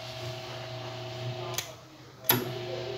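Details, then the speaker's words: Britânia Turbo desk fan after fitting bearings, which had made an unbearable noise; after adding a washer to take up play at the bearing, it runs with a steady low even hum, no scraping or rattle, just handling knocks; problem solved. "Aí, ó, resolveu o problema, tá vendo aqui, ó?"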